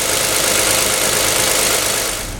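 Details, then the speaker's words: 2007 Toyota Sienna, 2GR-FE V6, after misfire repair: a steady, even idle settling down with no stumbles, partly buried under heavy rain. "You can see how the idle really nicely goes down."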